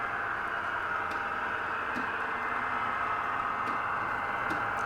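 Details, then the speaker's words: Model railway layout: faint irregular little clunks about once a second over quiet running hiss as wheels pass a rough track section; wheel clunk over track section. "can you hear these little clunks in this area of the track now that's disappointing"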